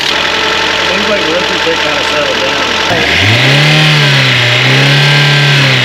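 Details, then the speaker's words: Mazda Miata after full maintenance, first cold start after sitting, heater on to fill the heater core: starter whirr, revs swinging, light quick lifter tick over cold idle that mostly went away once warm; owner blames sitting, unconfirmed. "all right as you saw we got it running it starts the lifter tick was really bad but I think that's just from its sitting for a while"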